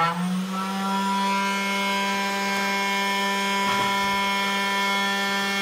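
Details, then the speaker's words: CNC router spindle at maximum speed via speed control knob: steady high whine, clean even tone, no wobble or rattle; this is its maximum noise, quiet enough without ear protection. Normal spindle at full speed. "e não esse ruído seria o máximo tá esse é o máximo de ruído que ele vai fazer"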